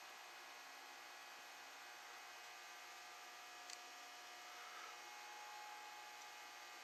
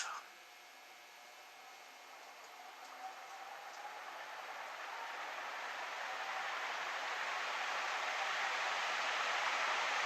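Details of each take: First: Envirofan Gold Line industrial ceiling fan model 160F, c.1978, run on a solid-state speed control with decade capacitor rig: faint steady motor hum with a thin high buzz. The buzz is disappointing and suspected inherent to the motor, not confirmed. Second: c.1978 Envirofan Gold Line 160F industrial ceiling fan started from off straight to high speed: smooth airy whoosh building steadily over several seconds as blades reach top speed, no knocks or rubbing; normal fan start-up.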